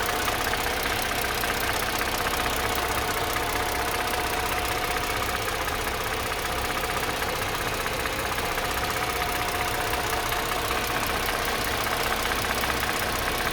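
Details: Mercedes M272 engine running at low speed, between 700 and 1500 rpm, with a busy, even tapping and a faint squeak behind it; source unclear by ear, cause unknown.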